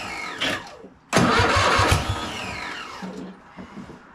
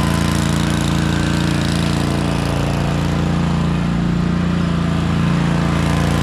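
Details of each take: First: Cub Cadet RZT zero-turn mower, first start after swap to newer Kohler Courage V-twin with carb spray: brief crank, then the twin catches firmly and settles into a steady run; clean, normal start-up. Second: Cub Cadet RZT zero-turn mower with a 54-inch deck, running on its V-twin, which has a bad compression release, before it was swapped for a newer Kohler Courage V-twin. Loud, steady, fairly even drone; runs great, with no specific fault audible.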